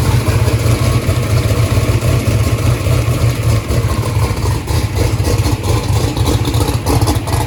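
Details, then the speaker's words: 427ci 2500hp small-block Ford V8 at its first start-up, not yet warm, 82 psi oil pressure: lumpy, uneven exhaust beat with one cylinder dropping out. Readout shows number three not sparking, so a cylinder misfires from no spark. "numbers saying number three is not sparking what well number two was the problem previously"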